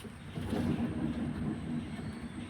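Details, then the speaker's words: Toyota Innova with rear left wheel jacked up and spun by hand: low rough hum like the one heard while driving, rising and falling with speed, from the rear left wheel. "ഈ ഒരു മൂളിച്ച കേൾക്കുന്നതാണ് നമുക്ക് വണ്ടി ഓടിക്കുന്ന സമയത്ത് ഊ എന്നുള്ള sound sound കിട്ടുന്നതും"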